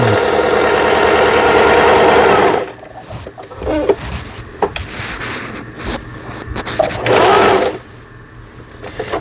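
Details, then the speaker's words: Juki HZL-27Z compact home sewing machine after repair of damage from sewing thick fabric (loud snap; feed regulation cam and bobbin case damaged): straight stitching in reverse and forward tested, quick even whirring needle tick, no knocking or grinding; normal stitching. "네, 지그재 바느질이 정상적으로 되고 있고요. 요 세발뜨기 바느질을 하는 겁니다."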